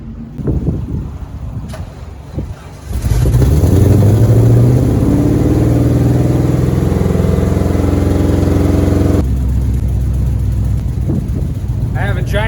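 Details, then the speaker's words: C5 Corvette-chassis Jeep Wrangler with a 5.3 LS swap on new headers and full exhaust, first start: it barks to life and settles to a lumpy idle with a fast "tech tech" ticking puff, an exhaust leak at the V-band joints. "exhaust leak this sounds pretty good here at the V bands you can hear tech tech tech tech sector"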